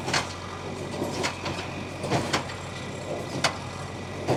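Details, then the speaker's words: Old cheap hay baler first fired up and RPMs cranked, baling lawn clippings: steady low drone with heavy clunks about once a second from the working strokes; everything turning, running normally. "Look at it go. It's working."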